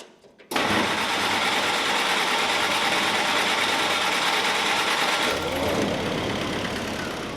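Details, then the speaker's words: 1946 Jeep CJ2a in neutral after fuel system was reconnected: steady, even idle with a fast regular beat, no knocks or misses; runs great. "Runs great. Runs great. Why does it run great? I don't know."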